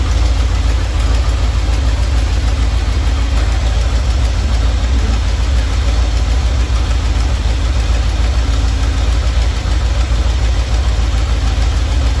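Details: Normal idle from either the 1977 Ramcharger 440 or the 1968 D-100 318 being revived: a deep, even V8 burble with no tapping or misses. It runs at about 800 rpm with timing about 3° ATDC, warming toward 185°F operating temperature, before a compression test.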